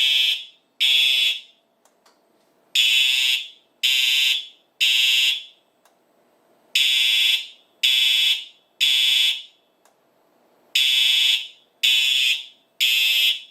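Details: Simplex 4100U fire alarm system in horns-only mode (speaker circuit disabled, four horn strobes), triggered from a 2099-9103 pull station: loud harsh horn blasts in repeating groups of three with pauses; horn strobes sounding properly.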